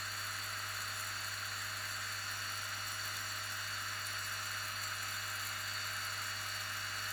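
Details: BMW X5 E70 fan motor checked after repair: a steady, constant whir with a low even hum, no wobble or scraping. The fan motor runs normally.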